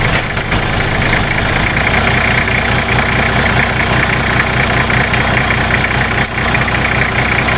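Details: Nissan Patrol GQ TD42 diesel that wouldn't start after running out of diesel; after restarting, steady, even diesel clatter at idle with no stumbling or misses.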